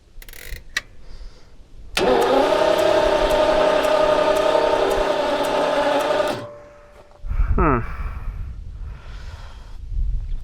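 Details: 1977 Jaguar XJ12 that died after a loud boom near the end of a long drive: battery charged, probably still has spark; the starter spins steadily about four seconds without catching, possibly flooded from repeated cranking, not confirmed.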